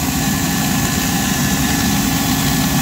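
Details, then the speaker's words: Boiler fan running with a steady hum and a rough, fluttering buzz from plastic sucked into the air intake. The sound changed once the plastic was removed; the low airflow prompts a check of the burner for sooting. "뭔 소리인 거 같아요 이거 그래 어 프 됐 뭐 비닐 소리 같지"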